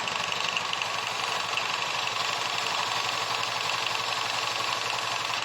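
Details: Honda Vario Techno scooter, after a fix for juddering, heavy initial pull done without replacing parts: steady, even single-cylinder idle with a bright hum and no judder or rough clatter; the belt drive sounds healthy.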